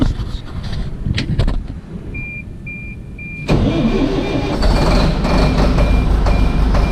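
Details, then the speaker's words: Detroit Series 50 diesel after in-frame rebuild, new turbo and charge air cooler hoses: cranks and catches, then settles into a steady low idle with a reversing-type beep over it; runs smooth. "I think we're ready to start it up and see if it sounds a little different with the exhausts and everything and the turbo working the way it's supposed to."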